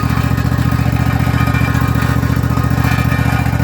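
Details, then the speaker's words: Husqvarna 254 zero-turn mower, restarted after a year sitting with fresh gas and choke: loud regular metallic rattle about two a second over engine thump; owner suspects loose muffler heat shield, not mechanical failure. "But pretty bad rattle. I don't know what that rattle is. A muffler shield or something. Doesn't sound like a mechanical failure. Just sounds like something loose."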